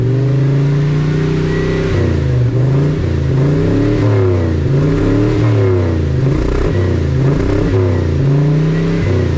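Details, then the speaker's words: 1980 Dodge W200 Sno-Commander with swapped Magnum 5.9L V8 and used Holley carburetor, new plugs fitted, light throttle: revs rise in short stabs and sag, black smoke, loading up; super rich, owner suspects faulty carburetor or accelerator pump, choke possibly partly closed. "Yeah, this thing's super, super rich. I'm not even like flooring it or nothing. I'm like barely cracking the throttle."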